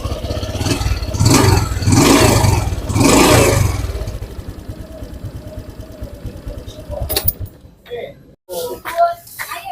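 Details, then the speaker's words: Honda Supra X 125 PGM-FI motorcycle after cam chain (rantai keteng) replacement and clutch overhaul: crisp even throttle blips settling to smooth idle, previous top-end chain rattle gone; engine now runs clean and normal. "Jadi untuk suaranya ya tidak seperti kemarin suaranya Suara ngecrek di sini sudah tidak ya sudah bersih suaranya sudah tidak seperti kemarin"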